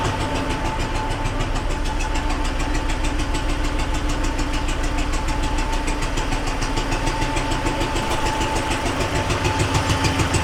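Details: T-40AM tractor diesel, cold around -14 °C after sitting a month: steady idle with regular knock about three per second over diesel clatter, not fixed by valve adjustment; engine knock, source unknown, heads to be pulled.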